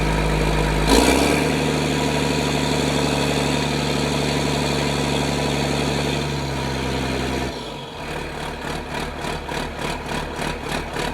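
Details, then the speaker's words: Diesel idle after jacking the cab and refitting the pin and its keeper bolt: steady, even, smooth low drone, then a lighter rhythmic chug as speed changes; sounds healthy before a test run. "I think we're good. I'm going to run it around a little bit this morning."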